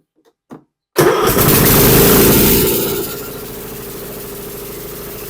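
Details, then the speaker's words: Troy-Bilt Pony 42X riding mower with a Chinese 547cc engine: it catches with a burst, then sags to a weak, uneven run that never picks up. The throttle does nothing and it acts like it is choking out, caused by a bent carburetor throttle linkage. "with throttle is not work at all it's acting like it's choking out"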